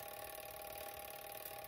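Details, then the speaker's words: Vintage Couch coded fire alarm pull station, spring-driven code wheel turning on its notches sending code 2652 without restarting; faint, even mechanical whir with a steady mid-pitch tone and no hesitation; running normally. "on those notches right there giving out the code two six five two and no restart itself right here you can see the gears all moving in there"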